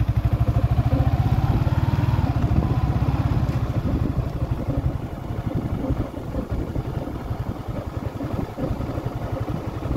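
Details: 2023 Yamaha Sniper 155R, five months old, idling: fast rattling clatter about three beats a second over the single's idle; mechanical noise mechanic could not locate, source unconfirmed.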